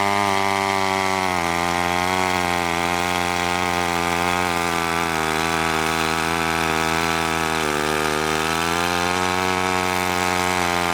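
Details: McCulloch 1-42 two-stroke chainsaw, restored project saw, cutting wood: strong, steady buzz dips slightly and recovers as the chain bites; pulls cleanly under load, likened to the original Texas Chainsaw Massacre saw.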